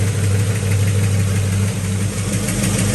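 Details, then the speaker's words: Possibly 1970 Pontiac GTO V8, new 2.5-inch exhaust, nearly warmed up, timing about 10–12°: steady idle with quick light ticking knock on top, a loud lifter knock; valve cover to come off to investigate. "however there is a loud pretty loud lifted knock here F kit so we're going to take this Val cover off and see what we find out and then uh let you know"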